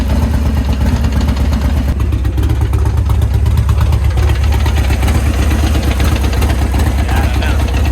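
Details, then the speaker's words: Built 124 Harley Road Glide, first ride back from service, failed after four blocks: loud V-twin idle with uneven clanking about three per second; owner unsure if clutch or gearbox, finding is a transmission gear pack failure. "I don't know if it's the clutches or not, but it definitely sounds like something is clinkety clanking."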